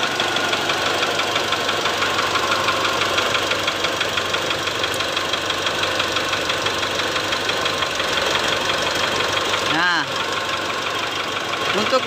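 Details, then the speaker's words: Mitsubishi Triton diesel at idle: steady hard knock about three per second stays at roughly 50% with one injector connector unplugged, ruling out that injector. "Suara ketukan itu masih ada, sekitar 50% dari suara aslinya."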